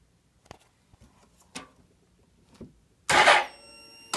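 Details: 2001 Suzuki GSX-R1000 that won't start: a few faint clicks, then a short buzzing hum as the fuel pump primes with proper voltage, but the starter never cranks the engine.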